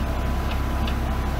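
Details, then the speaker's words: BMW M3 Competition rear wheel turning slowly: light regular tick about twice a second over a low rumble. The owner suspects the longer wheel bolts, reinstalled after removing spacers, scrape the handbrake springs, not the wheel bearings. "so I've read on the internet that these longer wheel bolts are able to scrape against the Springs of the handbrake assembly creating that ticking noise so not the wheel bearings"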